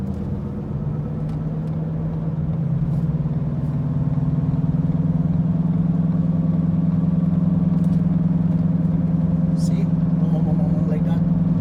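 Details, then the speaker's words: 2014 Ford Escape driving from about 35 km/h up to around 90–100 km/h, worse when turning left. A steady droning hum rising with speed; the mechanic diagnosed the front driver-side wheel bearing. "there's some noise on the driver side front wheel um but i i didn't know until my until the mechanic told me that it's the bearing in front driver side wheel"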